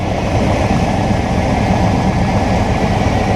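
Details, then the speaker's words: Truck started after two years sitting, revving to 4,500 rpm: loud rough idle with raspy, breathy roar, no knocking. Exhaust leak toward the back of the truck. "What's that? Oh no, that's exhaust. That's an exhaust leak by the looks of it from back over there."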